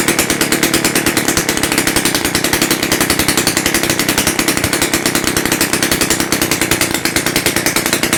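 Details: Romet S38 "Jajko" two-stroke engine after a rebuild with an Almet 38.75 cylinder and a preliminarily set carburetor, run on the bench without an exhaust elbow or muffler; sharp, even rapid popping at steady speed with no misses; it started nicely.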